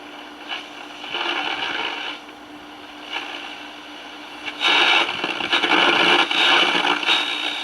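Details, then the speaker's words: 1946 Val-Keen/Detrola 572 six-tube radio, chassis out, first signs of life on AM at 970, filter cap not hot, no hum. Station comes through harsh, fuzzy and overdriven in bursts. Distorted audio. "i was picking up 970. sounds pretty distorted though"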